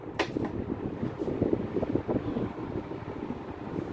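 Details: Hayden Shacks SAC HS 16-inch oscillating desk fan on medium speed: soft whir with a light, irregular ticking rattle for a couple of seconds, then it settles; source unconfirmed.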